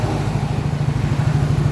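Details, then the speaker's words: Yamaha Soul GT scooter CVT after repair, the damaged thread re-cut so the nut tightens properly, tested under throttle: steady low drone with an even pulse, no rattle or scraping from the belt drive; CVT healthy. "Okay, it's been repaired and tested. Well, here are the results."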